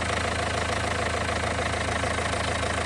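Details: Renault 1.5 dCi diesel idling during leak-off test after refreshing injector no. 4 (new Delphi valve and nozzle): even clatter, regular firing with no misses; no. 4 now best of all, no. 3 returning most.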